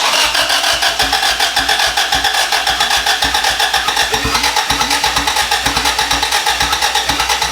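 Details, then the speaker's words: Boosted (turbo) B18 engine in an EG Civic hatch, first start attempt after long sitting out of the car with a new ECU tune uploaded: fast, steady cranking with occasional uneven catch, turning over hard but never running; no start. "it so hard dude it's trying so hard why no go huh"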